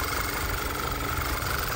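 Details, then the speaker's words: VW 2.0 TSI turbo (Tiguan), P2187 code, suspected PCV failure with bell housing oil leak; idling before acetone brake cleaner is sprayed on top, after which the idle stays rough, so no vacuum leak on top; uneven low rumble, rough idle from crankcase vacuum leak. "a little snow change still Idols rough it means it's not leaking vacuum anywhere on top"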